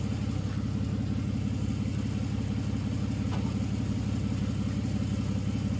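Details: Long-stored VJ Dodge ute engine, stuck earlier, battery weak, fuel poured in carby: cranking with harsh, rough grating chug about three beats a second, one of the worst turnovers heard.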